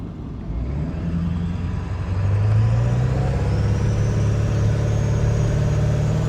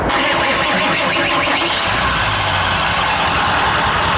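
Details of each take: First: Diesel truck after fitting a new aftermarket turbo, said to flow 35% better than the factory unit: pulls up smoothly through a couple of revs and settles back, even and strong with no misfire or rattle; running healthy. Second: Truck whose turbo was known to be failing, oil everywhere, started after it blew: engine runs rough and uneven with a harsh hissing roar over the idle; failed turbocharger.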